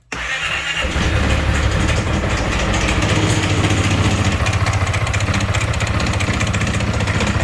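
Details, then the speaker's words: 2016 Piaggio MP3 500 scooter, unrepaired after an earlier timing check by another workshop: heavy, fast, regular knocking from start-up, far louder than normal valve noise; internal engine knock, source unknown. "Zobaczcie silnik strasznie stuka uruchomimy silnik"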